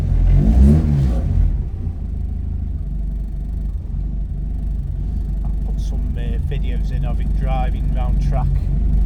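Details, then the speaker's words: 1976 Ford Escort GL track car with a Mazda 6-speed box: the engine catches after a couple of throttle pumps, revs cleanly and settles into an even, steady run with no knocks. Runs really well; normal start and revving. "Right, we'll fire it up. Couple of pumps. Runs really well."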